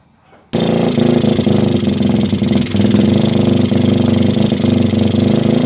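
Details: Suzuki GD110 scrambler that another shop could not start, after new coil, new spark plug and timing check: single-cylinder engine catches abruptly and settles into a steady, even running beat; normal running.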